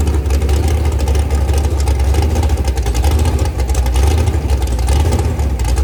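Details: Rebuilt 426 Gen 2 Hemi crate engine (new heads, intake, pistons) on a run stand, flat-tappet cam break-in at about 2400–2500 rpm, 32° timing, kept under 2,800: deep, steady high-idle drone, no ticking or knocking; normal high idle.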